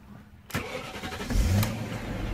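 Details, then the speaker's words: 2001 BMW 540i (E39) V8, one owner, high mileage (about 87,4xx mi stated), likely still on its original timing chain guides. It starts and settles into idle with a light VANOS tap and rattle underneath, described as common at this mileage and not concerning yet. "it does have a little bit of Vanos tap and Vanos rattle a lot of E39 with mileage this High have it so I'm not too concerned about it right now"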